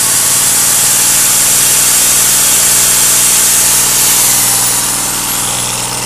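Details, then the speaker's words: Petrol generator revived after long storage, running an angle grinder as load after the idle speed screw was turned up slightly. Loud, steady drone with speed holding even under load: normal running under load. "вы можете видеть и слышать, всё работает безупречно."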